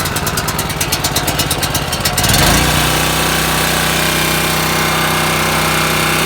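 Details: Champion 4750 W dual fuel generator, model 76533, electric start with choke on: the starter chatters about two seconds, then the engine catches and settles into a steady, even drone. Healthy start and run.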